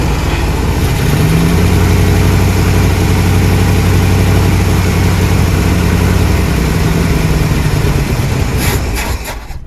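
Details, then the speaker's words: 1979 Jeep Cherokee, AMC 360 V8, sat 3-4 years; catches and settles into a steady deep even fast idle, no misses; starts and keeps running smoothly. "That's a smooth running little 360, guys."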